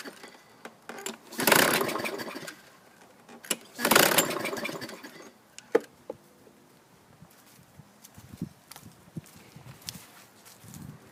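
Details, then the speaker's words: 2000 Toro Recycler mower with a 6.75 hp Kohler engine and a used recoil fitted: two hard recoil pulls spin it in rattling bursts, but it never fires. Cranks with no start; owner suspects flooding and plans to drain fuel and clean the carburetor. "it may have flooded itself out so this one's going to need a little more attention i was hoping to at least hear it fire off no go"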